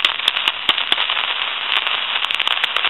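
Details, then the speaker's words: Elephant brass telephone with an old T1 carbon transmitter in the handset, line with dial tone: constant harsh crackling and frying with sharp pops; static from the aging carbon transmitter, to be replaced. "coming from the transmitter, and that's going to cause a bunch of static sensation."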